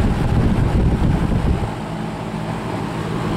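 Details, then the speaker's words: 1966 Lakewood Country-Aire fan, long used in a small engine repair garage, running after cleaning and restoration: smooth steady airflow rush and low even hum, no vibrations, rattles, wobble, scraping, unusual noises or smoke; normal running. "No vibrations, no unusual noises, no smoke. Cleaned up real nice."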